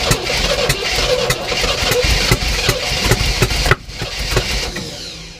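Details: 1967 Oldsmobile Toronado, project car, cranked with fuel poured down the carb and throttle held wide open: fast uneven cranking with a few ragged firing beats for almost four seconds, then it dies; runs only on priming fuel, can't run on its own.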